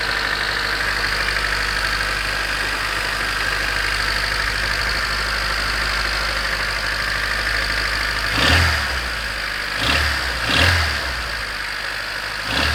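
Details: 1991 Honda CRX DX, D15B2 dual-port, 300,000 miles, cold start at about 30°F: steady busy clatter with heavier thumps at idle, owner unsure if rod knock, piston slap or valve clatter; sounds better as it warms.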